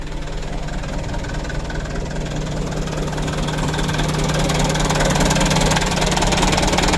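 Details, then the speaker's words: New diesel idling with a low uneven chug about two beats a second; idle jerks before settling, so idle had to be set below 600 rpm, around 550. "Kalau mau turun itu jeglek dulu teman-teman, ada jeglek dulu baru antang begitu, baru turun."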